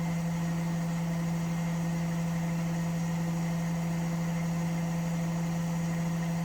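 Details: Washing machine spinning with a smooth, constant low hum and no banging, rattling or thumping; normal quiet spin. Its noise problem was traced to the chassis flexing and cracking at the shock absorber mounts.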